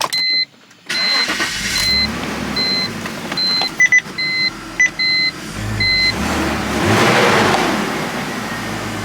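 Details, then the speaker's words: E46 BMW after replacing an ignition coil to cure a rough-running misfire. A chime beeps a few times, then the engine catches and settles into an even, steady idle with no stumble or skipped beats. The misfire is fixed. "Yeah, that fixed the problem."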